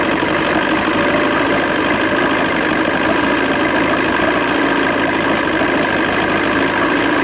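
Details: 1986 Johnson 90hp SPL outboard in a water tub, front air box on, after link-and-sync, ignition timing and carb restoration. Carb inputs tightened and seemingly no longer leaking. Steady even idle with a constant rumble, no misses or surges. Owner suspects it needs a new fuel pump.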